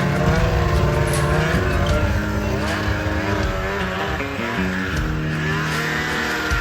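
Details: ZL550 two-stroke snowmobile after a no-start fix; it had spark and the problem turned out to be fuel. Quick, clean rev swings with no stumble or misfire. Normal, strong running.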